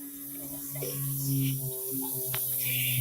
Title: прикол унитаз гудит когда в бачек набераеться вода